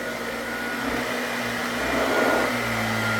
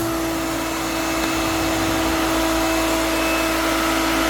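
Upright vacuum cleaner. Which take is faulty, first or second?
second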